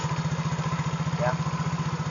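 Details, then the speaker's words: Yamaha Mio fuel-injected scooter, after total no-power fault, started by kick starter due to weak battery, indicator lamp staying on: small single's fast even putter around thirteen beats a second, steady; normal idle. "Alhamdulillah guys ya. Ternyata motor ini sudah mulai menyala."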